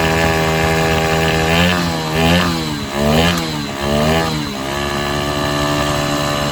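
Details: Honda Sonic 125 that wouldn't start after sitting, new carburetor flooded by dirt; fuel line replaced and inline fuel filter added: fires and settles to steady idle, quick throttle blips rise and fall cleanly, running fine.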